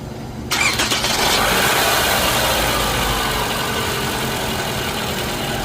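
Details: 2011 Toyota Camry with complaint of loud whining under hood on startup: with accessory belt removed, engine cranks, catches and idles steadily with no whine, pointing to a belt-driven pulley.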